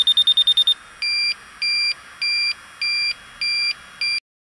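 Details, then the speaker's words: York rooftop HVAC unit, refrigerant leak detector beeping fast then steady high-pitched pulses about twice a second; detecting a leak in the coil, likely on the back side. "So our leak's right in there. Probably on the back side more."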